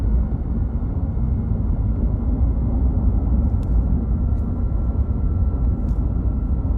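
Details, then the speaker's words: 2021 Ram 1500 Hemi eTorque: faint steady high whine over an even engine rumble; owner first feared eTorque bearings, but the cause was a failing belt tensioner pulley bearing. "I got that whining sound and I thought, "Oh, man. Here we go. My etor torque is going out. The bearings are going out and it's starting to whine.""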